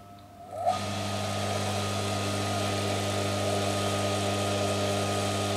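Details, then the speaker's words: Used single-phase motor from a Shimizu PS-128 BIT electric water pump, powered on mains through its second winding alone, no capacitor; only hummed until shaft spun by hand. Quiet hum, then catches and spins up to steady electrical drone with mains buzz; runs after hand start. "dan motor berhasil berputar AS nya berhasil berputar dengan bantuan tangan saya"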